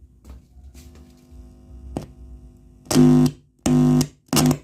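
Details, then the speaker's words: Ashley ACT500Pro active speaker with rain-like noise and crackle fault: touching the high-driver IC power stage input gives three loud low hum bursts, no crackle; power stage normal, fault suspected in tone control/preamp. "Bagus, tidak ada suara yang aneh. Berarti ini IC power untuk high-nya normal, power BM-nya."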